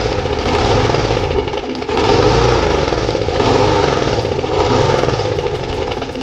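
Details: Old Husqvarna M46 Spirit lawn mower engine running with a surging, uneven drone rising and sagging about every second, before repair; running rough, owner suspects debris inside, cause unclear.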